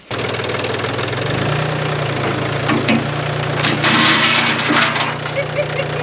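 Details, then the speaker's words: Turbo diesel engine bound for 1981 VW Rabbit pickup, first start before going in the truck: steady idle with rough clattering edge and occasional ping under throttle; expected to clear up, injectors may be replaced if not. "If you gave it a little throttle, it'd ping a little bit here and there, but I think it's gonna clear up nicely."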